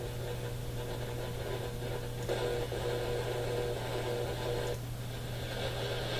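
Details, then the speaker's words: AM radio at the top of the broadcast band at home: constant hiss, buzzing hum and faint warbling tone, interference even on the one clear local low-power station; source unknown, smart power meter suspected. "It's the only station we've picked up clearly, and even that one has interference in the background. We're at the top of the AM band now. I wonder what all this is."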